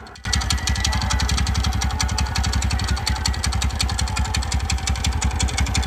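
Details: TVS Ntorq scooter engine at steady idle with a fast, even tick-tick/khat-khat ticking (about eight a second) over the low thump; top-end engine ticking, cause unclear.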